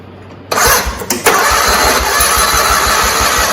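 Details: John Deere 317 tractor of unknown year, both cylinders working: brief crank, then it catches and settles into a steady, even idle beat; starts and runs fine.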